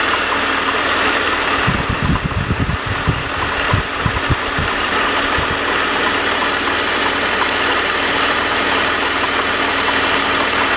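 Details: BMW 330i idling with an uneven galloping clank, about three beats a second, only at idle, gone under acceleration; persists after primary chain tensioner replacement, cause unknown.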